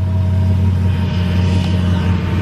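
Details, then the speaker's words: 2016 Hellcat salvage rebuild with Metco supercharger pulley, first start after reassembly on jumper cables: deep even V8 idle rumble, steady beat, no knocks or misses; runs perfect. "it's always satisfying when you take someone apart put it back together and it runs perfect everything sounds good"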